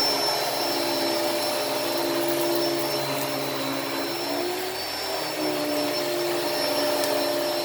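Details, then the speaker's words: Hoover Elite Cyclonic S3825 canister vacuum, first run after new brushroll belt fitted; steady motor whine and airflow rush, no grinding or slapping, brushroll agitating, good suction. Normal running. "the suction on this is really good and i am happy with it it obviously it the performance is obviously fine like you could you could hear it you could hear it actually you know still agitating just like just like a wind tunnel would"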